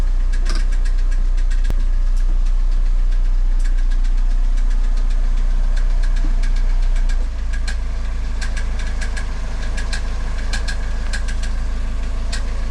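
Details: Sharp regular metallic knock, about three per second at idle, after a variator (CVT) replacement, 200,000 km engine that burns no oil, no knock while driving; starter gear found striking the flywheel teeth.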